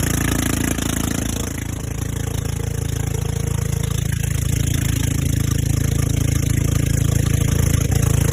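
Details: Old golf cart engine on a test drive after the carburetor seemed fine and the fuel line was suspect: a steady, even low drone at about 3.5 beats per second with no misses. It runs great; the battery is the only problem, as it won't restart. Engine shaking is normal.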